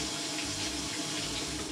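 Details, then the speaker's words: Maytag Centennial top-load washer, model MVWC555DW1, in manual test mode after replacing a stripped wash plate that caused scraping; steady hiss of water filling with even flow and no buzzing, normal water inlet fill. "We're just gonna go ahead and redo this test again to make sure we don't have any noise whatsoever. Again, Now I'm testing the water. So far, so good."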